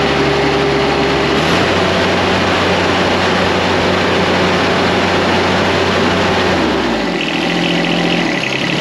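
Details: John Deere X758 diesel after an air and fuel filter change: an even diesel chug at idle, then the revs fall away near the end. No stumbling or misfire; a normal, healthy idle.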